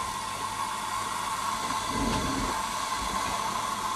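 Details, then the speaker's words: Jensen 35 toy steam engine boiler with small gas burner, heating up before steam: steady soft roar with constant hiss, no sputter or popping; normal burner operation. "uh it's gas fired and see there you just see the flame it will run off and inflated Spirits burning as well but uh these little gas burners from BS are just so"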